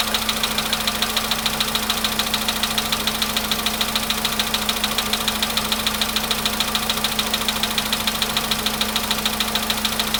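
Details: VW Polo Sedan, nearly 100,000 km, cold start: steady, even, sharp metallic knock about two per second at idle from inside the engine, cause unknown; raising revs to about 1500 rpm makes the knocking stop.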